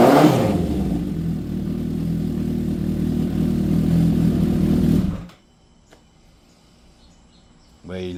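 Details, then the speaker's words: Honda CB750 cafe racer after carburetor rebuild, tuning and new spark units, first start, not yet warmed up: crisp, even four-cylinder note revs up and settles cleanly before shutting off; healthy running, no misses or mechanical noise. "Well, she's back. She runs. You heard it first."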